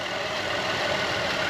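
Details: 2010 Buick Enclave CXL V6 with a smooth, even idle hum and no stumble or misfire, after the leaking vacuum hose was replaced with a thicker hose with a heat-protective cover, curing the misfire.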